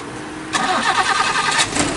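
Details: 1987 Honda Civic Wonder, clean well-kept engine: quiet, then engine catches at once and settles into an even, steady idle with no misses or knocks; healthy start, described as very smooth.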